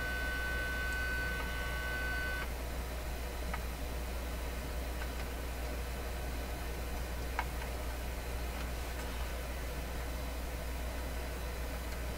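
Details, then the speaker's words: Deforest 10DA517 AM radio with an audio test signal injected at varying level: harsh buzzy note instead of a clean tone, then hiss; the speaker cone is full of holes, causing the distortion. "so I'm going to vary the input signal level and listen to it it already sounds it sounds distorted to me and this is a bit of a big concern"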